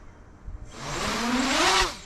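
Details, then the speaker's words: 8-inch FPV drone with P gains raised to 65, field test: motor pitch rises smoothly and falls off cleanly with no wobble, pulsing or prop wash oscillation; stable, well tuned. "no prop wash at all things uh very good as we can see we can move it very fast"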